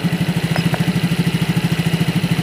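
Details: Yamaha Mio J fuel-injected scooter after injector fix, engine warm at 84-85 °C: steady even idle with a soft regular pulse about ten beats a second, no knocks or misses; normal idle.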